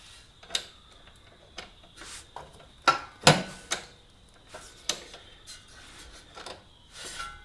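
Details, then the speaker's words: Honda CB125E rear drum brake over-tightened at its adjuster nut after a chain and sprocket change; uneven scraping swishes and light clicks as the wheel turns, showing brake drag from too much adjustment. "Now, you've gone too far if you can hear the brakes apply, because you'll actually hear them. They will start making noises like this."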